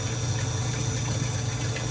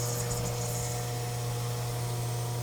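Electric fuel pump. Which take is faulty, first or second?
second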